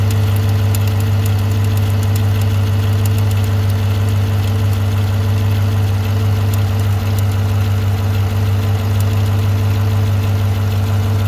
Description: 2018 silverado 1500 5.3 v8 ticking sound. Lifters? AFM Cam?